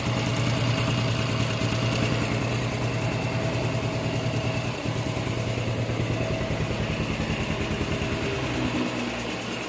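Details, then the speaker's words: Honda Revo Fit FI single-cylinder, after repair of hard starting (needed full throttle to start, low compression), now with 0.50 oversize piston, valve clearance 0.10, weak 11 V battery: steady, even idle thump, no knocking or ticking; normal idle. "halus suara mesin piston oversiz 50 oke ya bosku"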